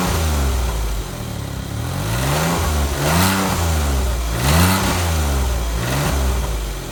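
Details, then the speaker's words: Smart car at idle on the stock exhaust, with an enormous muffler and built-in catalytic converter, before a custom exhaust is built: a deep, muffled, steady drone; the engine runs evenly, just sounding dull. "so there you have it um it's not crash hot but i'm sure i can make it sound a bit better than that"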